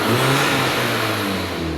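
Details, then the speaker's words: High-mileage VW Mk5 Golf GTI after fitting a Forge 11 psi turbo actuator to fix a no-boost issue, no engine lights: short rev with strong, even intake rush and rising spool-up note; boosting much better, turbo healthy. "you can really hear it boosting a lot better"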